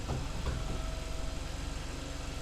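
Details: 2012 Kia Sportage electric brake vacuum pump: quiet, even engine idle with only a faint steady pump hum and no loud buzz, pump sounding healthy, in contrast to the worn pump's loud buzzing that was replaced.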